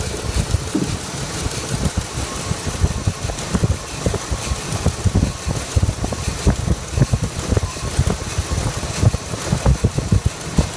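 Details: 2001 Ford F150 after manifold gasket replacement: idle is rough and uneven, with irregular stumbles and puffs breaking the rhythm; misfire at idle.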